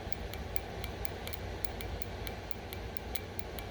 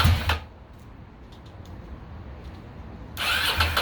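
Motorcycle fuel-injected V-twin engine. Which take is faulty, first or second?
second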